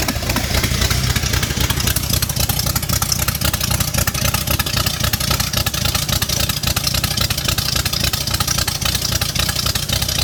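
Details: V8 swap first start after adding oil and fuel: strong, steady V8 burble with even pulses, no knocking or ticking; normal idle.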